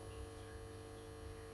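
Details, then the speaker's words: 12-volt battery charger connected to a battery-powered sweeper, switched on and charging: quiet, constant low electrical hum with no buzzing or crackle; normal charger hum. "Make sure your charger is switched on and you will see this light. And you'll hear"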